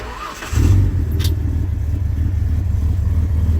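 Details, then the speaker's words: 1974 Ford F100 4x4, 300ci inline-six, automatic, cold start at 31°F air, coolant 58°: brief crank then catches cleanly into a deep steady fast idle with no misses; normal cold start. "It's a nice toasty 31 degrees. You can see how it starts up at about this temperature."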